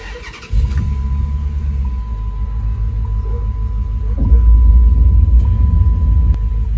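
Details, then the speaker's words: Dodge Charger R/T after replacing the bad coil pack, started and idling with AC on: quick catch, then a steady, even idle with no stumble; the heavy shaking is gone, only a slight tremble. "right off the bat i can feel the difference already it's actually not shaking uncontrollably and even with the ac on now it doesn't shake like it used to"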